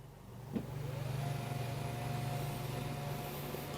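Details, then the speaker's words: Electric height-adjustable desk lifting under load, desk loaded with items (rated 176 lb): steady low motor hum with faint even whine as it rises, no strain or grinding; lift motor normal. "ครับวางไว้น้ำหนักประมาณนี้นะครับเสียงขึ้นนะครับยกโต๊ะขึ้นไม่มีปัญหาอะไรนะครับ"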